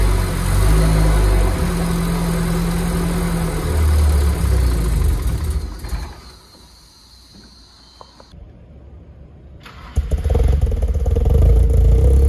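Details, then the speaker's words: Nissan S14 being brought back, running after 1.75 gallons of 93 fuel: a lumpy, loping idle with a sharp pop and stumble, then the revs recover. It is still untuned and needs a tune; flames were reportedly seen previously. "Obviously, it still needs to be tuned. You shouldn't really be revving it that much. They said that there was flames, supposedly."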